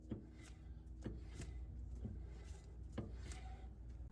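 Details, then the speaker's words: 2001 Honda Odyssey rear drum brake after shoe replacement and contact-point lubrication to cure creaking when pressing pedal: drum turned by hand gives soft even rub with light scrapes, no grinding; normal slight drag. "let's now reinstall the brake drum making sure that it's still a slight drag and not too tight"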